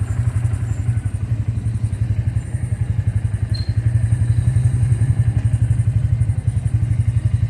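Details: Bajaj single-cylinder engine after the engine was opened up, with a steady beat and a dull thumping clatter heavier than a healthy engine. Abnormal engine noise; cause unclear.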